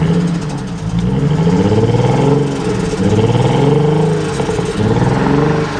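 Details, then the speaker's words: Tuned BMW E92 335i with downpipes, engine blipped: a loose metallic chatter from the exhaust over the revs is turbo wastegate rattle, and it doesn't sound good. "definitely got wastegate rattle that's um you can hear the wastegates yeah it doesn't sound brilliant"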